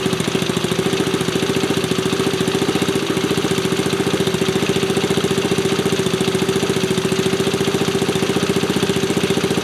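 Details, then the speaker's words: 1974 Honda ST90 with a fresh top end, started after adding gas: quick, even putter at idle, firing steadily with no knocks or rattles, and the engine runs healthy. "Okay, it's got gas in it now. Let's try that again. Sounds good."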